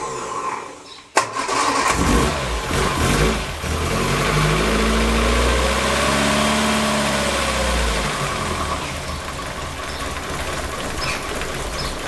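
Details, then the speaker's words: Lotus Elan twin-carb engine, cold, after 500 miles and distributor component changes: cranks, fires, revs briefly, then drops to a slow, lumpy tickover around 500 rpm versus about 1200 rpm hot; cold idle speed too low. "this is cold wasn't gonna let it get hot but you'll hear how all those it's their speed is if I increase the takeover speed when it's cold it's then too fast when it's hot"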